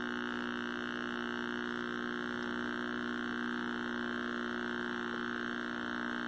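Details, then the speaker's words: 1960s Philco S-1262bk black-and-white vacuum tube TV: a steady low buzz with stacked harmonics whose loudness tracks vertical size. Vertical stage bleeding into the audio, a vertical buzz. "and we still got that obnoxious vertical buzz the amplitude of that sound is in direct proportion with the vertical size so something's bleeding over"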